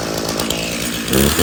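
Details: Stihl chainsaw (customer's MS 391 or MS170), dropped off because it would not start; refuelled with his own fuel, which had some dirt in it, then started outside at night. Pitch climbs smoothly as the throttle opens, with no stumbling or bogging; it runs fine.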